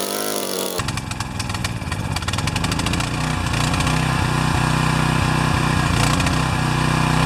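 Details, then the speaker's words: Pressure washer not started since last fall, with oil changed, a new air filter and a clogged bolt cleared: it catches but runs rough with ragged, uneven sputtering and coughing. The automatic choke lever had been tampered with, leaving the choke stuck on. "You saw that video out on the grass where it was just sputtering and coughing and really not happy."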